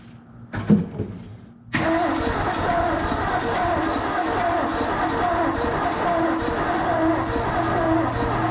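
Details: 1970 Ford F250 with a 351 Windsor, sitting since 1998 and freed from being stuck. Even, rapid starter cranking that never fires despite spark and an exhaust leak; owner suspects stuck rings or valves. Cranks but will not start.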